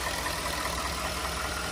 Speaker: we're going to do this little checking out of the engine to see how it sounds really good to me no unusual noises